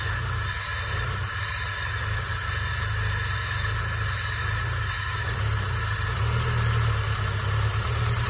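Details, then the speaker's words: Rough-running (limping) Peugeot 406, restarted: steady idle with slightly ragged, uneven beat, no distinct knock; rough because lifters not yet filled with oil, smoothing after running. "Ayo kita hidupin lagi ya suaranya masih kasar karena hal hanya belum terisi oli"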